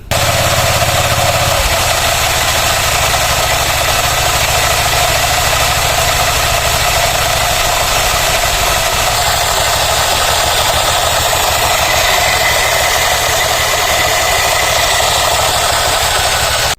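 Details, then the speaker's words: Honda Click version 3 scooter, noise since 1,000 km, CVT cover open, idling: dry scraping, rattly hiss from worn drive belt rubbing pulley face; torque drive bearing spun quiet. "Narinig niyo ang tinaw ay maingay pa rin po ong ating CBT at hindi na po siya nawala mula nung nag 1,000 km na po siya ng pagtakbo."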